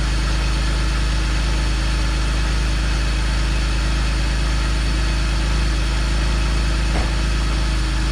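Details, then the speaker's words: BMW E46 325ci inline-six idling a couple of minutes after drying moisture from the coil packs and applying dielectric grease: smooth, even pulse about three per second. No misfire, normal idle. "so far so good let's see when it uh the idol goes down though all right so it's been running for a couple minutes and uh no misfire"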